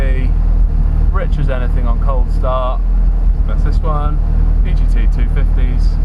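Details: 500bhp Audi A3 with new Monster Performance gearset, first drive after gearbox rebuild: clear gear whine rising in pitch pulling away in first then second over engine drone; healthy sporty gearset.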